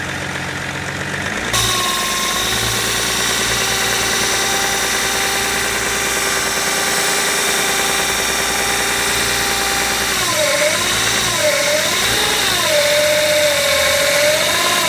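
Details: BMW E61 535d diesel with a torque converter fitted about a week and 500 km earlier: unstable hunting idle rpm, then a loud whine that appears in D and R; owner suspects the new torque converter, not confirmed.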